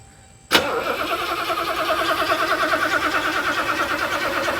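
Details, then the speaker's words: 1984 Mercedes 500 SEL pre-merger AMG, first start after sitting 27 years, on a used Porsche battery: starter turns the engine over slowly and laboriously without catching; battery too weak, may need a jump. "kind of weak and we might need to jump this thing off it's pretty weak right now"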